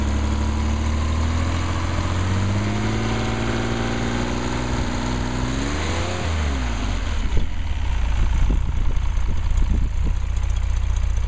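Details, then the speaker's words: Mercedes 220S six-cylinder engine on test after full rebuild, about 90–100 psi oil pressure, still warming up: deep, even idle with a smooth rev dip and recovery, no knocks or misses; normal idle. "sounds good and looks good a Happy Engine not much to do except let it warm up"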